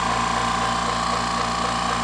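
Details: California Air Tools 10020C compressor (2 hp, 10 gallon tank, about 50 hours of prior use) on initial startup, building tank pressure toward 140 psi: steady even motor hum with busy mechanical chatter, no knocks or surges; normal running.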